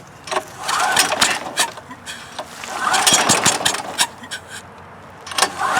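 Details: Westinghouse generator being rehabbed (dirty carburetor, dirty fuel, plugged exhaust), pull-started after starting fluid with the choke on: it briefly catches and sputters, then dies, with air hissing from the muffler. The engine catches but will not keep running.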